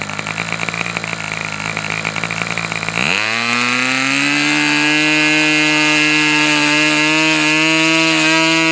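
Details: Fox twin-cylinder model engine, throttle stop screws opened half a turn for lower rpm: high buzz settles to idle around 3600 rpm with faint stumbles as one cylinder drops out, popping back on with throttle; low-speed needle to go two notches.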